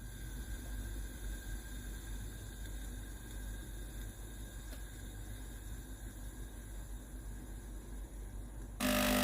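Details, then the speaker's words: Philips GC9682 steam iron (fault was no steam and steam leaking at the front): the pump hums steadily and evenly with a low buzz, drawing water from the tank to the boiler; normal pump operation. "De l'eau sort du bouton que nous avons ouvert. La pompe à eau peut pomper l'eau du réservoir d'eau."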